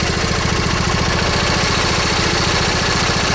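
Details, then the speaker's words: Briggs & Stratton V-twin lawn tractor engine at idle: uneven, lumpy beat, about three or four pulses a second, skipping rhythm; one cylinder suspected missing, with ignition system and valve cover gasket to be checked as possible causes. "we need to fix settings valve cover gasket which actually there's valve cover gaskets part of length the reason that this cylinder cylinder might actually be missing"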